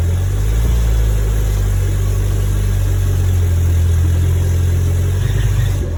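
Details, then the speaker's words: 1972 Fiat 850 Spider, cold and not yet warmed up: loud ragged running with an unsteady drone, worse when given gas; owner suspects the accelerator pump. "Still sounds terrible."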